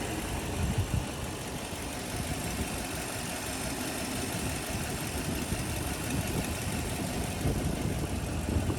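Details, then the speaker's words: 2004 Toyota Land Cruiser with 2UZ V8, 189,000 miles, timing belt replaced at 150,000, recorded in the engine bay: smooth, even idle with a steady low rumble and no knocks or ticks. Healthy normal idle. "Engine is currently on. You can hear everything runs smooth, no issues."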